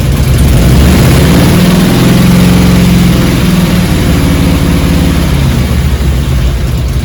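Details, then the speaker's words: 2002 Harley-Davidson Road King Classic Twin Cam after cam chain tensioner replacement: a steady, even, lumpy V-twin idle with a low regular beat, much quieter, and the cam chain ticking and rattle are gone. "much quieter clearly uh cam chain noise is gone"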